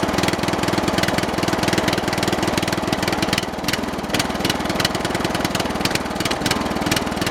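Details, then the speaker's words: Briggs & Stratton 13 hp OHV engine on an MTD/White lawn tractor, previously seized and sat over a year: strong, steady single-cylinder beat at about 200 pulses a minute with no knock or hunting; runs healthy, carburettor may still need cleaning for possible water. "I've had the engine running the engine sounds good it's nice and strong"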